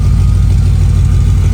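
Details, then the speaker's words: Mercedes W210 E55 after manual swap to Crossfire NSG370 6-speed, on lift with wheels turning: deep steady V8 idle, even rumble; earlier clicking noise has gone, engine sounds normal. "Sounds good."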